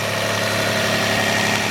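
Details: Toyota Camry 1MZ-FE 3.0L V6 running a few minutes after valve cover gasket replacement and related work: smooth even warm idle hum with no ticks, knocks or misses.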